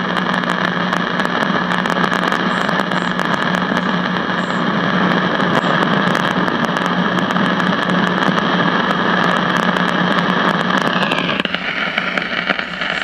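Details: CBS five-tube AM radio not tuning stations: steady hiss with low hum that drops away late when IF output is grounded; volume control regulates static, so fault traced to the IF cans, not audio output.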